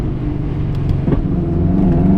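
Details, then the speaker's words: Subaru driven after transfer gear/rear output shaft replacement, trans warmed and now quiet: a single dull thump over the low driving rumble, a clunk from the front coilovers. "I did hear that knock. Oh, the clunking is the coilovers in the front."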